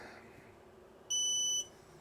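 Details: Creality Falcon 2 22W laser engraver with enclosure and air assist, key turned on: single half-second high-pitched beep over a quiet room, normal power-on signal.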